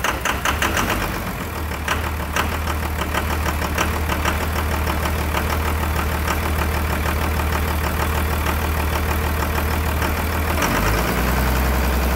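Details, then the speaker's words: 1999 Cummins diesel after injection pump replacement and bleeding injector lines: rough at first, then steady clatter settling into an even idle with deep drone and no misses; starts and runs clean. "Now, she should start and be pretty clean here in just a second."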